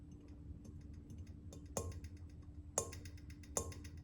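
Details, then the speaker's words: Ceiling fan light kit: sharp, irregular ticks and rattles at each light tap over a faint hum; the owner suspects the center mount is loosening or bent. "but now it's starting to make a sound with it. And it seems to be coming from the center."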